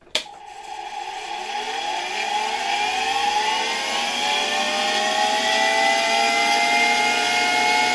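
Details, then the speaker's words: 1965 Alfa K2 vacuum cleaner, Sk-5b universal motor, very dirty and neglected, run on autotransformer at slightly raised voltage: switch-on click, rising whine to steady even hum, quiet bearings, little brush sparking; normal universal motor run. "It started quite nicely. The bearings aren't making much noise, and there's not much sparking in the brushes. Overall, the motor runs quite well, which only confirms the good quality of these motors,"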